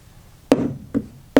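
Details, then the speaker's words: Hammer knocks on a repaired transom of a 50-year-old boat after resin glue-up: three short, dull knocks; owner suspects slight delamination low down where wood meets fiberglass and clamping was poor; hollow-sounding tap. "so i didn't get proper clamping down here because i couldn't screw in through here because there was nothing to screw through so i think there's a little bit of delamination"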